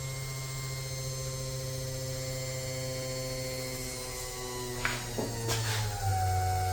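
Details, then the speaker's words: 1967 Corvette convertible with LS2 swap, newly replaced fuel pump priming: steady, even electric hum with no surging or rattle, fuel flowing from the regulator; pump healthy. "All right, that sounds good. And I can hear fuel pouring out front."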